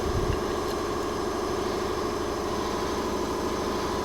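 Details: Briggs & Stratton 208cc single on a Diamond 25-ton log splitter, after carburetor cleaning fixed a no-start: steady, even idle with no misses or surging; runs cleanly now.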